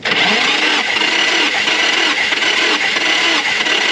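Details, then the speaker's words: Nissan SR20DET 240SX cranking during a compression test (all cylinders about 150–155 psi, in spec); the starter drags over slowly, about one compression pulse every 0.7 seconds, and the battery sounds really weak. Weak battery suspected, not confirmed. "this battery is starting to sound really weak it is not happy"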